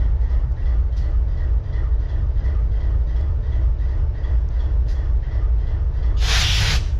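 Deep diesel idle with a lopsided, stumbling beat and one sharp air hiss near the end; a cylinder is misfiring.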